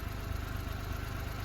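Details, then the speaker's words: 1999 Suzuki Every DB52V with F6A engine that suddenly wouldn't start, running on a relay bypass with the check engine light on: an even, steady low idle with no misses; it runs very smoothly. The cause behind the relay circuit is still unknown. "thank you for watching anyway the car is running very smooth after my bypass"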